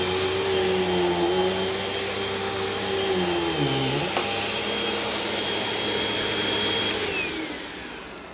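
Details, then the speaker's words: Hoover vacuum with cyclone and rewind, bought new: steady motor roar with a thin high squeal on top that dips as it's handled; the belt squealed a little and may need changing. "belt squealed a little bit but shouldn't be too bad might have to change that"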